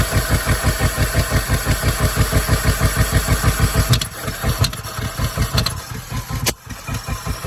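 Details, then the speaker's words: 1975 Ford F250 FE 390 V8, cold start after 30 years, freed-up engine, mismatched plugs, carb kit: thumps then stumbles ragged; owner suspects wrong timing/firing order or flooding, not confirmed; rough running. "Oh, fire. Mhm. timing wrong. That's what it kind of sounds like. Let me check my firing order."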